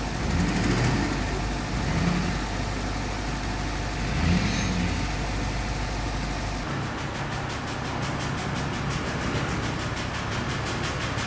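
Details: 2005 Duramax LLY diesel, cold start with dead batteries on charger: rough idle with uneven knock about four a second over the clatter; mechanical fault on cylinder one, bearing metal in oil filter, needs engine.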